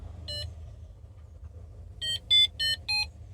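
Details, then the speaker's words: Homemade paragliding variometer with BMP280 pressure sensor and piezo buzzer, battery-powered: one high beep then four quick high beeps about three per second, signalling climb as intended. "When you go up, it beeps."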